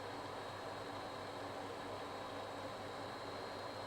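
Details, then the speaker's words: Vaillant boiler supplying hot water: quiet, even burner hiss with no kettling, banging or whistling. The boiler is holding its own and running normally. "Okay, so believe it or not, the boiler is holding its own right now."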